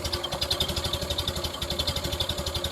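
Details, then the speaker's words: 1930 Ford Model A after rebuilding the repro muffler with stock-spec internals: even, soft exhaust pulses at idle, about twelve a second, with no sharp crack. Healthy, well-damped, muffled exhaust note. "it sounds like it's DED down through a cushion or something it's no more bang bang"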